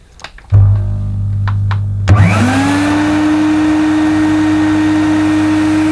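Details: Mid-1990s (c.1994) Hoover Aquajet Electronic S4488 shampooing carpet with floor attachment removed: motor spins up quickly to a steady clean hum, no grinding or stutter; pump and motor fine, only drag wand position and solution-tube kink need sorting.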